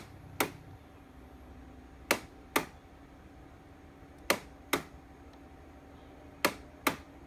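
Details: Air conditioner: sharp isolated clicks, often in pairs about half a second apart, every couple of seconds over a faint hum; abnormal clicking, cause unknown.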